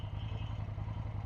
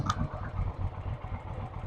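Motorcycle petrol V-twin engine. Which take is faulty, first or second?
first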